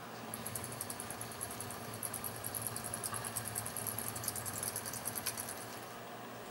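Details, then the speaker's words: HO-scale model locomotive with a newly installed sound decoder, passing on the layout: quiet rolling rumble with faint, high, rapid chirps; the drive squeaks, and the owner plans to lubricate it. "The only reason it's not fully put together yet is because I will need to lube it up a bit. It's a little bit squeaky going by."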